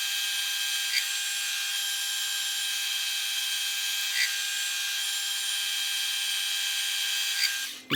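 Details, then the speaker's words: Lathe turning a 4140 steel shaft at 300 rpm with a 2 mm depth of cut: steady, high-pitched ringing with faint periodic blips; chatter and vibration build toward the end of the cut as the feed slows or stops. "hear we get a bit of vibration as we get towards the end of a cut especially when we stop feeding or slow the feed rate down to get towards the end is not ideal but it's getting the job done"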